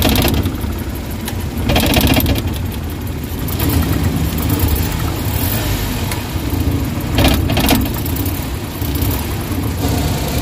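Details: Suzuki Big Eye Transformer DA64/DA63 idling with AC on, strong engine vibration and an uneven stumbling misfire, no check engine light; oil inside the ignition coils, weak coils replaced to fix.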